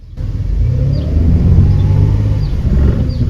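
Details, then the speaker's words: 2010 Dodge Grand Caravan in reverse under throttle, before adding Lucas Transmission Stop Slip: the engine flares to a loud drone without pulling, showing badly slipping and shuddering in reverse. "Hear that? Yeah, that's pretty bad."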